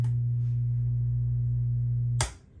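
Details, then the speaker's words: Musicman 115-HD tube amp powered up through a current limiting bulb with the old power tubes still installed. A loud steady low hum lasts about two seconds until switch-off: the transformer straining against a detected short. "You want to see what a short looks like? You know what it sounds like when you have a current limiting bulb."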